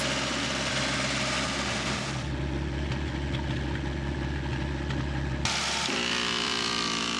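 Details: Vintage Coca-Cola truck abandoned 40 years, revived engine idling during tire inflation: steady low rumble with an even beat, no knocks or misses; idling smoothly.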